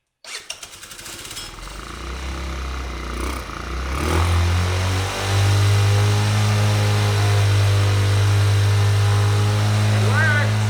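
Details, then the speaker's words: Tao Tao 50cc scooter started after cranking on a battery charger with starter fluid: a few cranking pulses, then a loud but even, steady idle with no ticking that vibrates the barn floor; running properly. "And what do you know? It actually worked. The thing is so loud right now and vibrates the whole floor of the barn."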